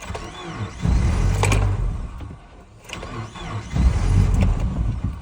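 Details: 2007 Subaru Forester 2.5XS in extreme cold: two slow labouring cranking bursts with uneven compression pulses and whirring starter, engine never fires; hard cold start.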